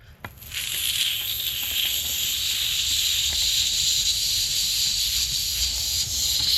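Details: 1971 Johnson 25hp (25R71S) outboard gearcase lower unit under air pressure test: sharp, steady high hiss as air escapes past a gearcase screw missing its O-ring. Leak fixed before the unit was reinstalled.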